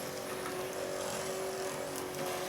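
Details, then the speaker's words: 1995–1999 Nissan Maxima power antenna after mast replacement: a steady, even mid-pitched motor whine with no grinding as the mast rises, and the motor shuts off properly at the top; normal operation. "turn it on one more time let's test it make sure it's good good coming up and the motor is shutting off"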